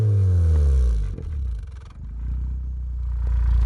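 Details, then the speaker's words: Turbocharged Suzuki Swift ZC31S (TM square turbo), following a roadside breakdown: sharp revs fall into a rough, uneven low rumble with fluttering pulses and a visibly shaking exhaust; abnormal, cause unclear. "See that shake in the exhaust? And that sound it's making? Go again, one more time."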